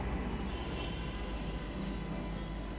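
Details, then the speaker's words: Ariston kitchen range hood after cleaning service, switched back on to test: steady, even fan whoosh at constant speed with low hum, running normally. "আমরা হুকটা আরেকবার জ্বালিয়ে দেখছি যে hook ঠিকভাবে চলছে কিনা এই যে আপনারা ফ্যানের শব্দ শুনতে"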